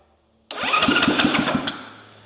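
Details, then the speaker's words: Zongshen Z190 engine swapped into a Honda C50 motorcycle, first start: catches from silence into quick, even single-cylinder putts, runs briefly, then dies away. "Let's get a bit of choke. Wait, it runs. Ignition turned it off."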